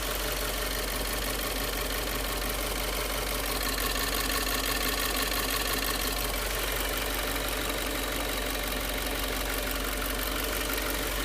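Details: Subaru WRX after filling with 87-octane regular gas: fast, fairly even ticking about three per second at idle; owner suspects knock, not confirmed.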